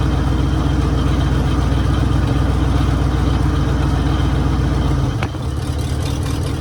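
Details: 1966 Mercury Monterey big-block Ford V8 after a fuel leak fix; deep, even burble with steady firing rhythm, no misses or knocks, "running like a top"; normal idle.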